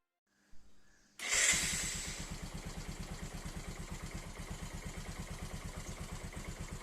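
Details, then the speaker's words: Bajaj Pulsar 135 LS motorcycle after starter motor repair and refit: brief starter crank, engine catches at once and settles into an even, steady idle thump; starter repair successful. "හොඳයි යාළුවනේ ඔන්න එහෙනම් bicycle එකත් එකපාරින්ම start වුණා. ඒ කියන්නේ මෝටරේ හදපු එක සාර්ථකයි."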